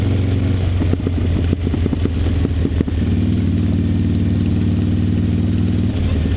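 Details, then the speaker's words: 2005 Honda VTX1300 V-twin on test ride after air box work: deep rumble with a quick burst of sharp pops as throttle closes, then even running; popping on deceleration, suspected slow jet circuit or jetting issue in the carb. "I suspect either we do have a problem in a slow jet circuit the way she's popping on D cell in particular or maybe a jetting issue"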